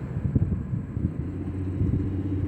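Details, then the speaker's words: Freshly repaired 2008 Ford Fusion (new engine mount, water pump belt, intake, radiator support) idling at warm-up before a test drive: steady, low, even rumble with no knocks, ticks or misses; cooling system shows no leaks; normal idle. "but yeah the engine sounds good it'll be uh interesting to see too just make sure the cooling system works cuz you know the radiator was dangling that whole time right sis mhm there were no leaks"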